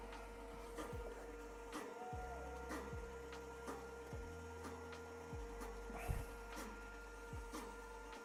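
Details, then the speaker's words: Skywalker V1 coffee roaster after refurbishment: a dull clunk repeats about once a second over the steady motor hum as the drum rotates; the drum back is probably poorly attached, suspected. "so that clunking noise is probably the back of the B back of the drum not attached well"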